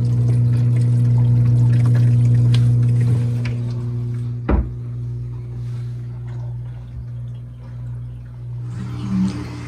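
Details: Red Sea Reefer tank after replacing the gurgling overflow drain valve: steady low return-pump hum and soft running water, quiet drain with no gurgling or trickling.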